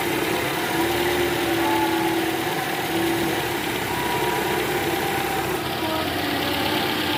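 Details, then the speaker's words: 2012 Toyota Camry 2.5 V, 2AR 2500cc, over 100,000 km, cold start in R: light, quick tek-tek rattle under the even hum, heard clearly at the oil pan with a stethoscope and fading when warm; worn, loose balancer shaft, later replaced. "gas nah ini guys ada bunyi Kretek tek tek tek tek tek ini posisi R tadi saya sempat dengerin pakai SpongeBob di area panci oli itu jelas banget suaranya Kretek tek tek tek dan ini indikasinya balancernya oblak guys"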